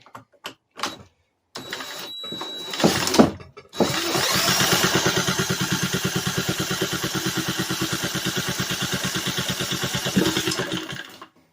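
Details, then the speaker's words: Vintage Briggs & Stratton thought to be a 1950s-60s one-horsepower, with oil-bath air filter, unused 10+ years, 2-stroke gas squirted in, cranked by drill about three turns a second: pops a couple of times but never runs; cause unconfirmed. "Ooh, it popped."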